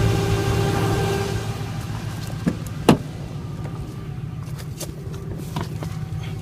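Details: 2005 Dodge Ram 1500 4WD Hemi, 80k miles, lost all transmission gears: steady whine over the running engine with no drive engagement; owner suspects torque converter or front pump, unconfirmed.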